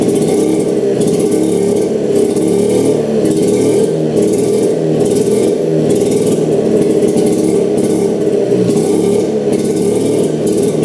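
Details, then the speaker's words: 1960s Hydro-Mite mini jet boat engine running after bad used spark plugs replaced with new ones: loud, even roar swelling about once a second with throttle, no misfire or stumble; running normally after plug fix. "but sure enough all of them are bad it's running great sounds really good I don't want to run"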